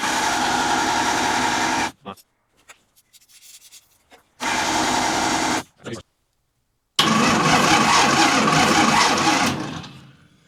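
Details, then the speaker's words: 1952 International L130 truck engine after years sitting, vacuum wiper line plugged: three cranking bursts of steady starter churn without a single fire; crank no start, no spark at plugs traced back to the distributor points. "No spark. [snorts] No spark. I wasn't getting spark at the spark plugs."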